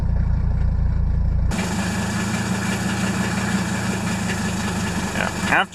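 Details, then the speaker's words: Diesel at cold idle on a cold Houston-area morning with uneven, lumpy beat; one cylinder drops out and picks back up until it catches; glow plugs tested equal with an amp meter. "yeah you can hear that one cylinder but probably yeah there's just one cylinder that's not hitting this"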